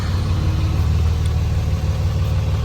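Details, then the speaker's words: 2006 Dodge Cummins 2500 Megacab diesel after a fuel injection pressure regulator fix, CTS3 tuner and 100 hp injectors: a low, steady, even idle throb with no stumbling or knocking; healthy, and the issue appears fixed. "nice decel i think it's good to go sounds smooth um glad to have it running"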